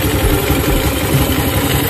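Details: Carburetted motorcycle that died when throttled, after reassembly; low steady idle, even beat, no stumbling, knocking or dying. Normal idle.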